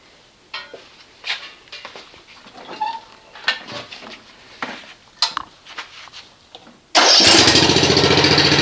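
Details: Snapper RER riding mower, test start after repairing a no-start caused by a cable grounding the ignition coil, with a new air filter fitted: after some rustling it catches at once and settles into a fast, even beat with no misses. Normal start and idle.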